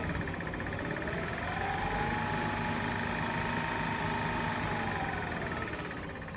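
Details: 2006 Mazda RX8 rotary engine revved up, held and settling, with a constant light clicking throughout, started about a week ago; still present right after an oil change, cause unknown (owner has heard low oil, SSV or compression suggested).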